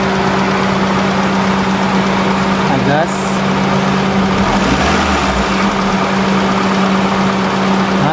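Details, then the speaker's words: 2002 Kia Visto after resealing the idle speed control valve, AC switched on: a steady, even idle hum holding its pitch with no hunting or vibration. Normal idle. "stabil tidak ada getaran waktu kita mati nasi"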